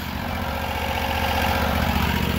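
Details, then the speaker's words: 2021 Predator 670 V-twin pressure washer build with Honda fuel pump, at idle, pump running, hot exhaust: steady even low rumble, no knocks or misses; normal idle. "we got it pumping right now it's at idle feel some air through here I don't know where that air is coming from definitely hot coming out of the exhaust"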